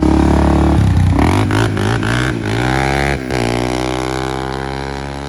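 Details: 2003 Honda 400EX single-cylinder quad, revived after sitting since 2021 with a faulty ignition switch, on a ride: clean thump through a rev then smooth fall on throttle close, no misses or rattles; normal running.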